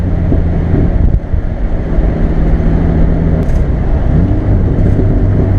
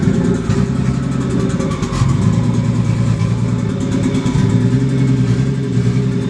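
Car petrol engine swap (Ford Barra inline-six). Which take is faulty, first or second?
second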